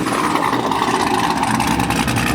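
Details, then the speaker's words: Corvette with a stage 3 cam, heard from behind the car: loud V8 idle with a lumpy, uneven lope and strong pulses; choppy idle from the aggressive camshaft. "when you get behind it, you can feel the chops hitting you."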